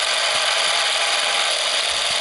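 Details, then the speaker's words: Sears Easi-Load Super 8mm film camera, zoom motor zooming in toward maximum: a smooth, even high-pitched whir with a fine gear buzz, steady with no catching. Normal zoom motor operation. "Entonces vamos a hacer solamente zoom con la videocámara, con la filmadora. Ahí estamos haciendo zoom con la filmadora."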